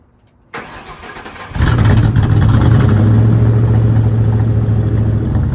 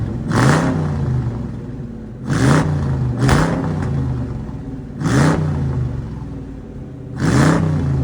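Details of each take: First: '53 F100 on a Crown Vic chassis after a tune-up with new plugs and coils: brief crank, catches, then a steady low drone with a slightly uneven beat; rough running, owner suspects it was not reassembled correctly. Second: '53 Ford F100 on a Crown Vic chassis, after a tune-up with new spark plugs and coils and the fuel pump primed. Revs climb cleanly on blips and fall back to a steady idle; it sounds better.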